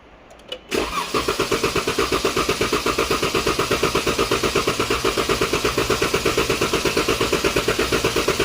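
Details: 2014 Dodge Durango 3.6L with misfire code P0304 (cylinder 4), clear-flood cranking during lab-scope relative compression test: steady starter cranking at about three beats a second with one soft compression stroke per cycle; low compression in one cylinder.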